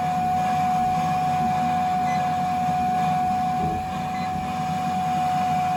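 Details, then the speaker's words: Burnham Alpine boiler no-heat call with ICP air handler in attic: steady mid-pitched whine over a rough hum; customer says the air handler blower won't stay on, technician suspects a blower issue, not yet confirmed. "Sounds like you got a blower issue here. So we also, listening to the customer's complaint, the blower is not staying on at the air handler in the attic."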